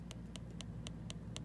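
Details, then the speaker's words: MacBook Air A1466 trackpad gives crisp light clicks about a quarter second apart, both sides and center, after tightening the Torx 5 lift screw under the battery restored the missing click. "can hear the click now so you just kind of play with it both sides are clicking in the center yeah it feels pretty good"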